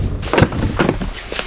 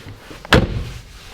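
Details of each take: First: Subaru STi frameless-window door not yet sound deadened: several sharp door slams with a thin tinny clatter after each. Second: Subaru STi frameless-window door after Kilmat 80 mil sound deadening, plastic insulation wrap and full door card refitted: a single firm slam with a deep thud and short decay, no rattle.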